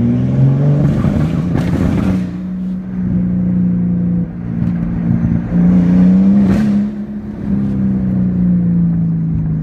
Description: Misfires extreme under heavy load/high boost. Low boost while part throttle is fine and idle is great